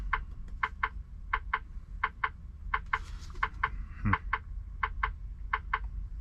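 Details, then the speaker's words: Semi truck idling with four-way hazard flashers on: crisp paired clicks about eighty a minute, steady and even in a quiet cab; normal hazard flasher relay. "so sorry about the the ticking noise or the you can hear that noise yeah that's my fourway or my hazard on right now as I supposed to do so that's why it's making that sound"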